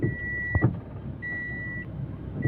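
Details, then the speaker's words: Car braking gently on the road gives two dull thuds over a low rumble; a loose suspension ball joint on one of the arms. "আপনার এটা যে শব্দ check করলাম যে কিছু একটা loose আছে বলটা কোন এক হ্যাঙ্গারের বল লুজ"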